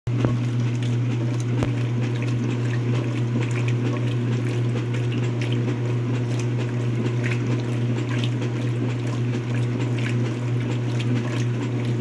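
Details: Speed Queen washer running: steady low drone with water sloshing and a few irregular thuds; strange sound, owner suspects bad transmission, unconfirmed.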